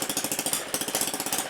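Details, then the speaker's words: Homemade, originally 3D-printed gas engine refitted with a two-stroke piston (~43.96 mm bore), oil leaking; crisp, even pops about 13–14 a second at steady high speed; surprisingly refined. "I wouldn't say that I trust putting my face right next to this thing but it's actually surprisingly refined"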